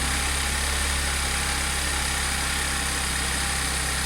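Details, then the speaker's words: Audi S4 B8 3.0T supercharged V6, first start after repairing bank 2 P0018 jumped timing chain: steady, even high idle after cold start, no knocks, ticks or rattles; no fault codes. "sounds good just wait for it to kick off the high idle and see what it sounds like on the low"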